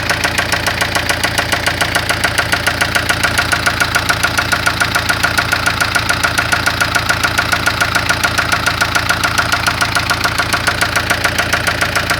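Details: 1996 Spanish-built Ford Fiesta making loud engine noise: a sharp, very even mechanical knock at about 140 per minute over a steady idle. Source unknown.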